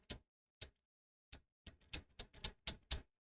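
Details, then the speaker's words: RC car differential with outdrive cup stuck and pin removed: sharp irregular clicks, about two a second, bunching up as turned by hand; outdrive binding on something inside the diff cup, cause unknown, washer turns freely. "it's getting caught on something, but I don't know what. I mean, there's nothing there's nothing left in there."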